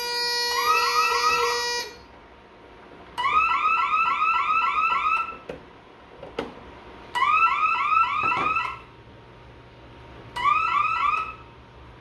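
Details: Bosch Radionics 4012/8012 alarm panel demo: repeating rising warble bursts, about two seconds on with quiet gaps and audible siren relay clicking on and off, the fire alarm tone after a smoke detector zone was tripped.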